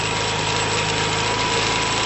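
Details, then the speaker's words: 2012 Piaggio Typhoon scooter with a swapped 125cc engine idling after first start: steady fast idle with a light metallic rattle on top; source unknown. "i don't think the air box is sitting on properly at the moment don't worry about that"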